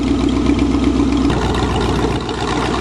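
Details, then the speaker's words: Chevy that wouldn't run because it was out of gas, restarted after refuelling: smooth, steady idle with an even beat and no misses, knocks or stumbles; healthy. "ah now that's what a chevy is supposed to sound like see it was just out of gas yeah i didn't realize it was out of gas brought back from the dead"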